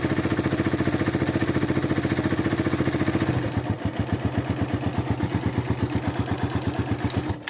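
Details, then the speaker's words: Rider 150 motorcycle bought in 2022, noise growing after about 10 minutes of riding, also hard-starting and stalling when revved: a steady single-cylinder idle, then on revving a rough, irregular metallic rattle; engine clatter of unknown cause. "may maingay na bakal na nagtan mga kaen ano ganito yung tunog Parang ganon na hindi mo malaman eh ano kayaang problema nito mga kaen"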